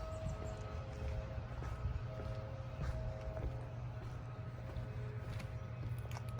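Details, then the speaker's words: Bryant rooftop AC unit not cooling: with blower running, compressor gives a low, steady electrical hum but never climbs into running; it is trying to start and stalling, weak capacitor suspected, not confirmed. "It was making a humming noise. I just wanted to show it, or at least you hear it in the video."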